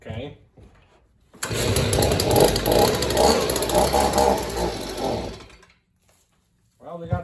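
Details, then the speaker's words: Free, broken Stihl two-stroke leaf blower on its first start using primer and choke: loud, raspy buzz that surges unevenly, then dies; it runs only by playing with the choke and won't take throttle. "well she's running sorta this way oh all right so you play with the chocolate bunch it will run but you can't take the troll bar it's not gonna work"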